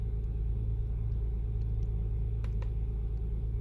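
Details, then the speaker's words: 2003 Honda Pilot petrol V6, warm: idle RPM stays high with a steady raised hum; check engine light and VTM-4 light on, code P0505 idle air control system. Suspected faulty or stuck idle air control valve, cleaned as the fix. "the vtm lights comes on and the engine uh starlight is checking and the rpm stay high so i'll plug in the scan to wall and get it try to get it cold to see what trip the engine light it's a p0505 idle air control system"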